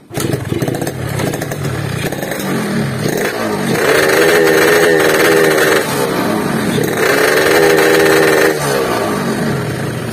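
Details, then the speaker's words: Yamaha RX King two-stroke, very clean bike, complaint of no speed and weak climbing, revved before repair: repeated blips sound flat and strained, never pulling cleanly, no power at all. "Saya sudah menggebernya, saya merasakannya, saya bisa mengatakan bahwa motor ini benar-benar tidak bertenaga sama sekali."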